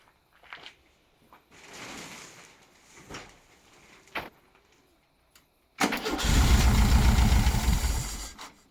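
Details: 1976 VW Beetle, US fuel-injected: slow even cranking near four beats a second, never catches; crank no start. Injectors tested and cleaned; owner notes it runs with the air flow sensor unplugged but has no throttle.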